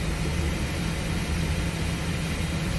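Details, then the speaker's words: 2005 Chevrolet Express 4.3 at idle with A/C on for load: rough, uneven idle with irregular stumble; scan shows misfire counts on bank 1 cylinders 1, 3, 5, none on bank 2. "en estos bancos en el banco 1 tiene mis fallos en el banco 2 no hay absolutamente nada"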